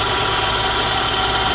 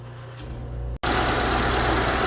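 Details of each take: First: 2012 Honda CR-V 2.4 idling with a steady, rough whirring hiss from a worn alternator bearing, heard before the alternator was replaced. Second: 2012 Honda CR-V 2.4 idling after replacing an alternator with bearing noise: steady, even idle, smooth low hum, no alternator whine; initially seemed not charging (12.3 V) but came right after several minutes.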